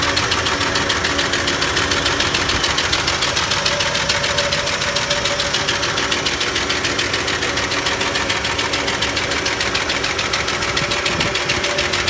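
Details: 1991 Ford F-150 at idle: even, light ticking about three to four per second over a steady idle; owner suspects the valves, cause not confirmed.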